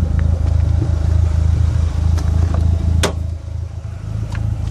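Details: Dodge SRT-4 four-cylinder idling with a regular uneven lope and occasional puffing stumble, P0304 cylinder 4 misfire; plugs, wires, injectors and coil pack already replaced, intake manifold gasket suspected but unconfirmed.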